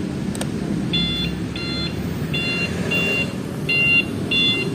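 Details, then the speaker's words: Alarm (MP one-way remote type) on a 2017 Honda Vario 125 LED: six evenly spaced high double-toned chirps, roughly one every 0.8 seconds, over a low hum; the alarm's truck-style turn-signal beeper is on, switched off by pressing and holding four times. "nyalain lampu seinnya kayak truk ada bunyinya"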